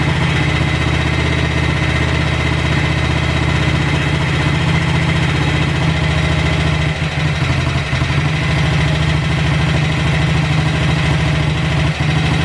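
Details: Cold-start idle on a BSA 441 single with an Amal carb cleaned after water and sediment in the float bowl caused sputtering and missing. A steady, even low thump with no misses or hunting; idle and air-fuel mixture roughly dialed in, to be retuned once warm.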